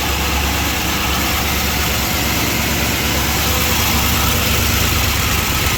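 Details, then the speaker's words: 1978 Chrysler Newport V8 after a fuel pump replacement and long storage, running off a temporary fuel supply: fast, light lifter chatter over a rough idle; the owner suspects old, thick oil. "lifter chatter. Huh? Better check the oil, I guess. Make sure. Got plenty in there. That's probably old and thick"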